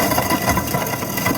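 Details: Garbage disposal after being freed by turning it back and forth with a tool to loosen stuck food particles or debris: steady, even motor hum with a light rattle, no stalling or straining, spinning freely as normal.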